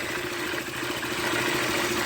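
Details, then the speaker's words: KTM motorcycle idling with a light metallic clatter over the engine note, traced to loose screws on the magneto cover rattling. "Aí, ó, esse era o barulho. Os parafusos soltos."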